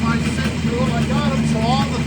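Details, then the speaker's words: 1969 Kawasaki H1 two-stroke triple, 40,000 miles, sat about 30 years, started with a couple of kicks after carbs synced to idle equally; steady, even low burble at idle, all three cylinders balanced, no hunting: motor sounds pretty good. "Couple of kicks. Ways she goes. And the motor sounds pretty good."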